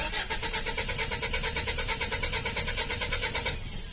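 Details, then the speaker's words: 2013 Mitsubishi Strada/Triton with codes U1504 and B1707 that return after reset. Fast, even cranking for about 3.5 seconds that never catches. Crank-no-start caused by the immobilizer: a faulty antenna ring at the steering column key cylinder. "So yan siya, kahit nireset natin, meron pa rin siya. Tapos ayaw umandar."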